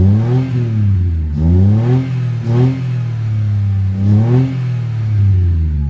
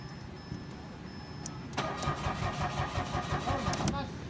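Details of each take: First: Mitsubishi Mirage automatic after the fix (new fuel pump motor, blown 15A fuel pump fuse replaced): starts on one click, a few quick blips rise and fall cleanly, then it settles to a smooth, even idle; starts and revs normally. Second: Mitsubishi Mirage, push-start automatic, parked about a week, cranking but no start: starter churns steadily for about two seconds and never fires. Fuel pump motor already replaced.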